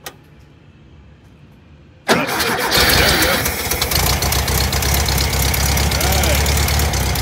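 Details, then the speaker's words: VW Thing air-cooled flat-four with a newly fitted, unadjusted carburettor: silence, then it catches at once and settles into a steady, even run with a slightly busy idle as the choke opens. The idle circuit misbehaves as the choke opens. "oh okay sounds pretty good huh yeah sounds great"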